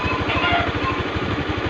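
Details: Honda Beat FI scooter, engine running: uneven lumpy putter, idle speed wandering up and down slowly; rough unstable idle, owner says fixable by adjusting injector/idle air without dismantling, cause not confirmed.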